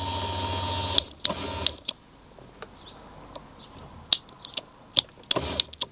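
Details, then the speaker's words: 1990 Corvette C4 barn find: the electric seat backrest motor is tested after repair, where a capacitor was found missing. A short motor whir is followed by clicks and clunks as the backrest moves. It is working now, though the switch may need more cleaning. "It's working. I think I just need to do a bit more cleaning on the switch."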